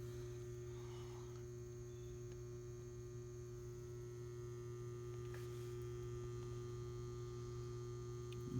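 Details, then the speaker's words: Old outdoor AC condensing unit, no-cool call: steady low electrical hum with no fan or compressor spin-up, motor stalled; capacitor visibly swollen and bad, slight piston restriction also diagnosed. "I hear it trying to come on. I think I know what it's going to be. She is swelled up. Capacitors are definitely bad."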